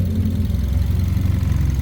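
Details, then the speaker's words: Mazda 2 that sat about a month without starting, running after an open control circuit fault was found: steady low hum with an even pulse, no misfire or rattle; idling normally. "Umandar na sa wakas. Anan all goods na."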